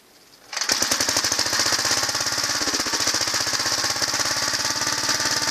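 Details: 1963 Gravely Model LI single-cylinder tractor, free find, finally revived and still fitted with the electric starter clutch: it catches and settles into a crisp, even firing beat. It runs good and smooth, with good compression and spark.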